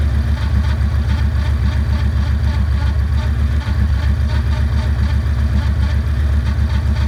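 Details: 2009 Yamaha Raider V-twin at idle: loud, deep uneven thumping about four times a second; abnormal engine noise, cause unclear.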